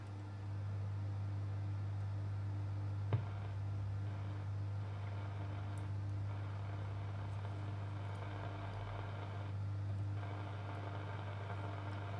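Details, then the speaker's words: Astor BPJ valve radio, early model, sold as not working, first power-up after capacitor replacement and volume control cleaning: a loud, constant low drone with no audio; the owner wonders whether valves have come unseated, or the volume control or soldering is faulty. "and that's not good it's making a very loud humming noise wonder if the valves of come un seated"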